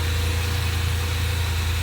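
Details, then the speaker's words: 1987 Dodge Power Ram 50 4x4, 2.6L Mitsubishi carbureted, 100,000 miles, warm with thermostat starting to open, jet valves adjusted. Smooth, quiet low idle around 800 rpm with a steady deep hum, no misses or knocks; healthy. "everything runs nice and cool sounds really smooth it is so quiet and it's got that curve like a brand new"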